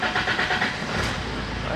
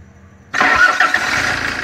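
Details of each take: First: 2011 Fiat Ducato, F1A Multijet 2.3 16v turbo diesel, cold engine: slow, lumpy cranking before it catches rough; a hard cold start blamed on a burst injector return line. The van also cuts out under power. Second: 2011 Fiat Ducato, F1A 2.3 16v Multijet turbo diesel, after repair of hard cold starting and power cuts, injector returns checked: short crank, catches immediately, settles to steady even idle with clean clatter; normal start.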